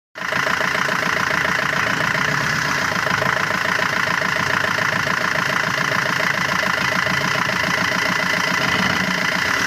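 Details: Fiat Punto: steady idle with a busy, rattly ticking that never changes through the run; abnormal engine noise, source unclear.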